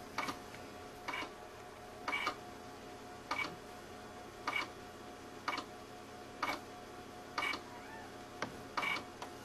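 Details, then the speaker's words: Power Macintosh 6500/275 with failed IDE hard drive: sharp clicks repeat roughly once a second over a faint steady hum, the repeating "click of doom" of a dead drive; weirder noises follow. "there's the click of doom again what I don't think pixel likes that noise"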